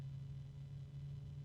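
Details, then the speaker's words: Small case fan with sleeve bearings and a 3-pin connector: quiet airflow with a steady low tonal hum and harmonics, plus a little rubbing; expected to get noisier over time because of the sleeve bearing. "Sleeve bearings. And it's pretty quiet. It won't stay that way because it's sleeve bearing. You can hear a little bit of rubbing. Harmonics."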